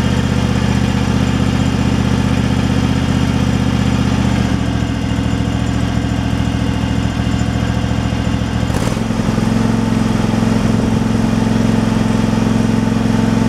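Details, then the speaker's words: Craftsman Pro mower single-cylinder engine after a new carburetor fixed surging: steady, even idle with no hunting or surging; runs normally. "it sounds like it's running pretty smooth where it's at so all right it's not surging well we'll find out here"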